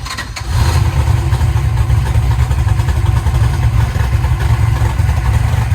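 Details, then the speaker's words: Eagle Talon engine after Holley EFI conversion and rewiring, once fueled up: catches and settles into a steady even low idle with no misfire or skipped beats, hitting on all cylinders; normal idle. "sounds like it's hitting on all of them now shut down t85 and cold"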